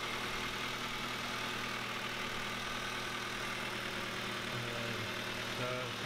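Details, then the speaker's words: 1997 Honda Civic D16 Y7 with a Y8 manifold after an auto-to-manual swap, warming up: steady, even idle with smooth low drone, no misses or hunting; sounds much better, normal idle. "definitely sounds way better this is what she should sound like"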